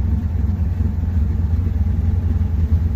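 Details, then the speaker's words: Camaro just after its first fire-up, being driven home almost out of fuel: a low, lumpy idle with uneven surges and sags, and the driver can't add any throttle. The engine is stumbling from fuel starvation. "We're almost there. I just can't give it any fuel or any gas."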